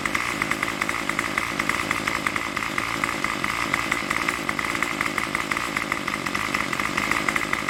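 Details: Craftsman Weedwacker trimmer 316.791191 after repair (MTD 27cc two-stroke, Zama carb), running without choke at about 2600–2700 rpm on the tach: high buzzy note holds steady with no surging or cutting out. Runs cleanly and evenly.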